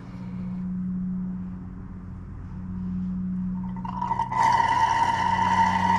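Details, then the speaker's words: Kawasaki FR691V engine on an Ariens Ikon XD 52-inch zero-turn mower, warmed-up oil extracted through the dipstick tube during annual service: steady hum turns into hissing, gurgling slurp as the extractor draws air. Oil sump empty. "let's see how the oil is doing when this thing is empty you'll hear it just start slurping air"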